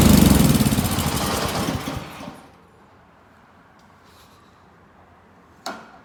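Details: Snow blower small single-cylinder engine after summer no-start, fixed by draining old oil and gas and cleaning the carburetor jet; runs with fast, even smooth beat for about two seconds then stops.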